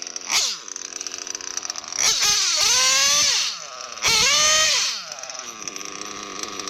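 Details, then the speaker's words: O.S. Speed B21 Adam Drake nitro engine in an RC truggy, new J&T ceramic bearings and 6.5 mm venturi, first run: pinch test on the fuel line revs up too fast, rising in pitch about a second before dropping back. Low-end mixture slightly lean; richen the low end. "Pinch the fuel line, 1, 2. That's a little fast. I'll probably richen up the low end just a little bit more."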